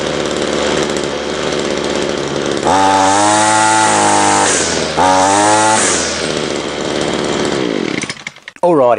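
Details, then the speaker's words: Ryobi two-stroke line trimmer after fixing incorrect over-oiled fuel mix: two clean rev-ups to a high steady scream dropping back smoothly to a fast idle, idling slightly high; normal revving. "that sounds pretty good hey I'm going to do some more adjustments on it tomorrow"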